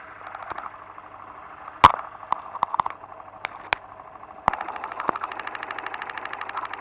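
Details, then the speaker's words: New motorcycle engine at idle, heard through a screwdriver or probe that amplifies its characteristic internal noises; fast, even run of crisp ticks with sharp clacks early on; normal internal mechanical noise, not a problem. "aquele barulho que você ouviu o ruído melhor dizendo são os ruídos característicos das parte interna do motor amplificados"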